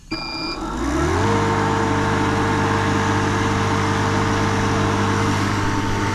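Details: Refrigerant recovery machine pulling the charge from a Goodman heat pump with a piston restriction, before the repair, until the system is in vacuum: motor spins up with a rising hum, then settles into a steady, even drone. Normal operation.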